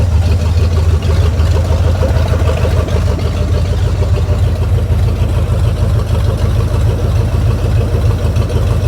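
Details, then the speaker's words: 1973 Mercury Cougar 351 Cleveland V8, newly revived with fresh gas, cleaned tank and radiator hooked up: deep, steady, even idle with no misses or knocks, sounding crisp; carb still needs dialing in. "'s good sounds pretty good I gotta dial that carb in a little bit but I got good fresh gas in it now"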